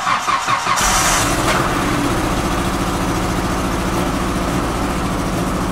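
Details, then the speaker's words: Truck restarted after a gallon of vodka was put in the gas tank and driven 25 miles: engine catches and settles into slightly uneven, stumbling, sputtering idle but keeps running; rough running from contaminated fuel. "oh sputtering a little bit it's still running oh yeah it's still running"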